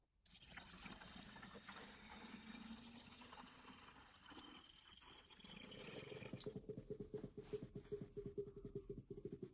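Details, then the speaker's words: 2001–2005 VW 1.9 TDI, refilling coolant after temperature sensor replacement, system drained dry, engine off: liquid pouring, then quick irregular gurgles and glugs as coolant works into the system. This is normal filling. "I'm not sure if you can hear that, but you can hear it glugging away, so it's obviously starting to go through the system itself, which is handy."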